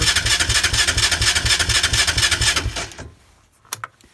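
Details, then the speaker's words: Engine with no battery, run on a 1000 A compact jump starter, choke on, not started all winter: even starter cranking about two beats a second for nearly three seconds, then it stops without catching. "Yeah, Yeah, this thing ain't gonna start, but we get the idea."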